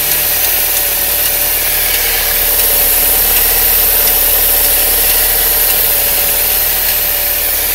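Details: Saab 9-3 with 122,000 miles at idle: light, irregular ticking about three times a second over a hissy, tractor-like clatter; the source of the ticking is still unknown.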